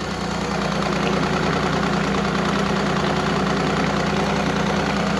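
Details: Evinrude E-Tec 90 two-stroke outboard idling after cleaning corroded injector wiring and testing the injectors: steady, even, busy low rattle with no misfire, and no active faults.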